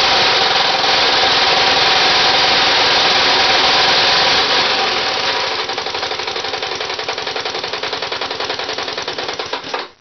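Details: Homemade Briggs 327 three-cylinder stacker radial from three 9 cubic inch Briggs lawnmower engines, run outdoors around 26°F; quick even metallic knocking slowing as it dies, from too-loose joints between the three crankshafts, not connecting rods.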